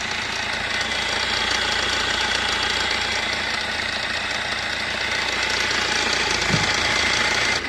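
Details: Fiat Punto petrol engine idling with a loud, busy metallic rattle on top from a worn, slack timing chain.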